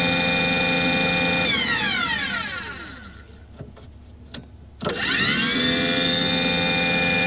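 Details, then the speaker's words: Aquahot 400D RV diesel boiler: the burner motor whine falls away, a few clicks follow, then it whirs back up with no firing rumble or smoke as the CAD cell cuts it off. There is no raw fuel smell. "So apparently it's not firing. I know that it's not firing cuz I don't have any indication. I don't have any smoke or any rumble or anything."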